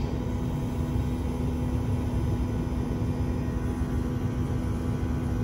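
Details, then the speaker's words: Mini-split/VRF system low on refrigerant while R410A is being added; amperage climbs toward 14–15 A with a 55°F suction line. The compressor gets louder as it does more work: a deep, steady hum with no knocking, running normally. "did you hear that i know it's just not just me ambridge went up it's getting louder it's doing more work"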